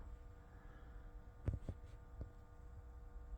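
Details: Jaguar XK (X150) cabin humidity and temperature sensor aspirator fan behind the steering wheel, faint steady buzz over a low hum with handling clicks; fan vibration through its mounting, and slackening the screw reduces it.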